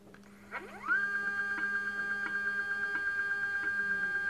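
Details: iOptron CEM40 mount, declination axis at maximum speed: motor whine rises quickly to a steady high tone with a soft tick about three times a second as the damaged drive belt catches; erratic RA guiding.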